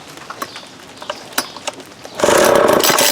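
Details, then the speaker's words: Vintage Craftsman 22.2cc 14-inch string trimmer, likely early-to-mid 1980s, new fuel line and cleaned carb, original plug and fuel filter, choke on: pull-cord clatter, then a short ragged bark that dies; barely fires, won't keep running. "I tried. You can hear it barked a little bit there."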